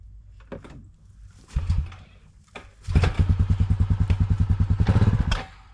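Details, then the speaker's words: Honda 4x4 Rancher revived after sitting six years in North Dakota, in freezing cold, started with a little throttle and choke after carburetor work: a couple of pulls, then it catches into a rapid, even single-cylinder beat and runs, sounding healthy. "boom just fired up again holy cow it's running look at that that is insane sounds so [Music] healthy"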